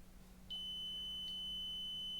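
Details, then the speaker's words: 1981 Soviet "Rakieta" 7M2 vacuum cleaner, MD-010 motor with brushes checked and wires not yet insulated: a continuity tester gives a single high, steady, unbroken beep. The motor wiring circuit is continuous. "Here, I haven't insulated these wires yet, but I think we can check if this motor works, at least if there are good connections in it."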